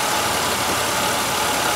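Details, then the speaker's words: 1996 Buick Century 3100 engine idling with the misfire from cylinder 5's stuck-closed Multec 2 injector gone: even, steady idle with smooth hiss, no stumble or skipped beats; misfire gone, all cylinders firing. "you'll notice that my misfire is gone on my number five cylinder and you see the RPM is moving so we are running engine's idling misfire is gone on the number five stuck closed injector"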